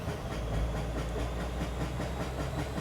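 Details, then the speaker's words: Toyota GX81 Mark II with naturally aspirated 2JZ swap, on a dyno under load: heavy low engine drone with a steady rhythmic nang pulsing several times a second; suspected tail shaft resonance or dyno chassis contact, not confirmed. ">> All right, so we immediately we've got a noise in the back. What do you reckon that noise is? >> That nang nang nang nang. That'll be tail shaft resonance probably."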